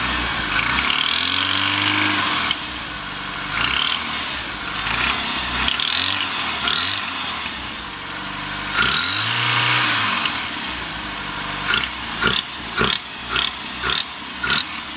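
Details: Rover Mini Cooper MPI: harsh sharp metallic knock only when throttle opens, gone at steady or falling revs; source undetermined.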